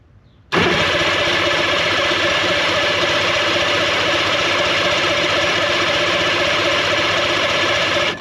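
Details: 1966 Evinrude Playmate outboard cranks about seven seconds without firing, no start; coil confirmed producing spark, owner plans to clean and check distributor points next, cause not confirmed.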